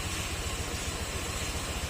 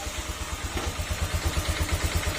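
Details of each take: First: Honda Click 125 V3 scooter after engine rework (tensioner, rocker arms replaced): even steady low putter about eight beats a second, no knocks or misses; idles smoothly. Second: Honda Click 125 V3 scooter engine at idle, crank bearing and cam rocker arm already replaced: steady low knock about three per second, louder when hot; said normal for V3, worsened by idle set too low.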